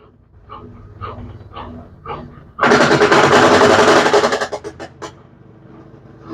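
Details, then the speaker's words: Brastemp BWK 13 washing machine, nearly new, during spin cycle: heavy fast rhythmic banging as the drum spins down, then fading quiet; loud banging during spin. "Então esse é o barulho que ela tá fazendo ó vamos aguardar mais um tempo ela baixar a rotação Vamos então Esse é o barulho então é um barulho forte"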